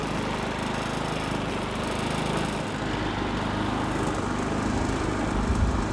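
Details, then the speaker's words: Predator 3500W portable generator after the wheel-lock fix (a plastic piece pinches the metal tight to the wheel): steady even hum with no rattling or ringing. Normal smooth running. "more rattling from the generator it runs real quiet now you can actually enjoy how quiet the uh predator generator is after you do this fix"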